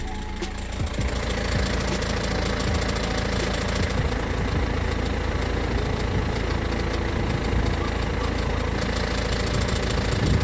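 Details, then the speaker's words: BMW E46 with M47N diesel idling with A/C on: light, fairly regular clicking knock that changes when A/C is switched off and on; traced to a faulty belt pulley, not the vacuum pump first suspected. "Mam teraz włączony silnik pracuje on sobie w ten sposób słychać takie lekkie postukiwanie klikanie nie wiadomo od czego mam włączoną klimatyzację"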